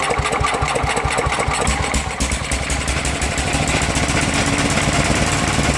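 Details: Sears Suburban 12 lawn tractor with a Tecumseh 12hp engine, barn-stored five or six years, first run after dribbling gas in: runs unevenly with an irregular slapping flutter from the pulley; chunks missing from the drive belt, which needs replacing.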